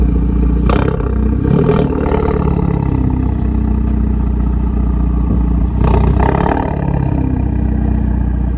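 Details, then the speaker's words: 2020 Hyundai Veloster N PP, Borla ATAK exhaust freshly installed with exhaust valve connected, checking for leaks before test drive: deep steady rumble, two sharp rev blips with crackle on throttle lift-off, no leak hiss; healthy exhaust note. "We'll turn it on right now, check for leaks, make sure the valve opens, and we'll lower the car, take it for a test drive."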